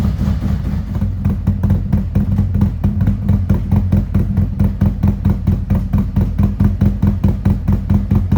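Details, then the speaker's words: 2017 Harley-Davidson Ultra Limited 107 with newly installed Thundermax ECM, second idle auto-tune warming to 180 degrees: deep loping V-twin idle around two pulses a second, steady; healthy normal idle. "So far, very happy with the way that it's turning"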